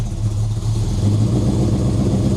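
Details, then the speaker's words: V8 with Summit Racing distributor, timing at 20°, cold engine that won't idle well until warm; lumpy, uneven idle with wavering low throb that never settles; rough running from incorrect ignition timing. "No, it doesn't sound happy. Put it where it was happiest, then I'll get some temperature in it so it runs."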